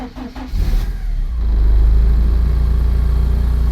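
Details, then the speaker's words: Porsche 944, first start after two to three weeks sitting following welding and bodywork, checking the radiator holds pressure: brief crank, fires straight up and settles into a steady, even low rumble, charging about 13 volts; normal start. "fire straight up."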